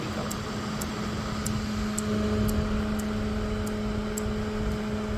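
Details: LG NeoChef inverter microwave running: steady low hum with a faint high tick about four times a second, turntable rotating, no error, door switches fine, but no heating; magnetron fault, inverter board the suspected focus.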